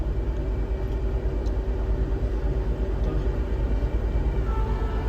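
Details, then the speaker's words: Tata Zest petrol after fixing a cylinder 4 misfire, stored faults since passed: smooth, stable low idle with an even beat and the AC on, no stumbles or dropouts. "की condition देखिए बिल्कुल stable engine है इसको ये देख AC on है अभी AC में भी देखिए बिल्कुल स्मूथ साइलेंट"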